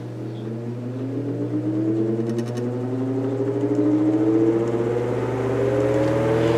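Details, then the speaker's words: Antique GE Vortalex fan just after an oil and oil wick change, before the new oil has soaked into the oilite bushing: smooth whir climbing in pitch as it spins up to high speed, even hum beneath; high-revving fan running normally. "now this is a high revving fan when compared to the 16-inch."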